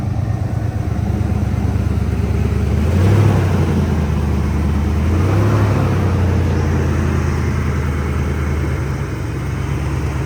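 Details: 1992 Ford Mustang started from a completely cold engine: it catches and settles into a steady, even low rumble at a slightly raised cold idle with no knocks or ticks; a normal cold-start idle.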